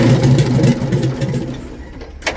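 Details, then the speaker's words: Detroit Diesel in a vintage GMC truck: the starter turns it over in a slow, uneven churn that fades without catching. Cranks but will not start. "And that's all it will freaking do, man. That's it. And it just it don't even sound"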